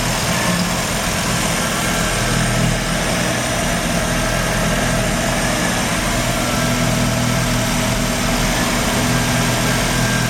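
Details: Mazda RX-7 rotary, failed annual inspection with very high CO (2.70): low idle with uneven lumpy pulse and wavering under exhaust drone; misfire worst with slight throttle; no oil pressure shown; ignition leads already measured; rough idle, cause unknown.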